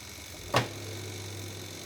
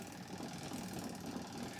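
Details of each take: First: Sanyo manual washing machine spin dryer starting: one soft click, then only a faint steady low hum, no rumbling or thumping; it spins up at once, nearly silent; normal quiet spin start. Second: Sanken manual twin-tub washing machine, loaded spin dryer: an uneven, thumping rumble as the drum struggles to get up to speed and wobbles, an unbalanced spin start.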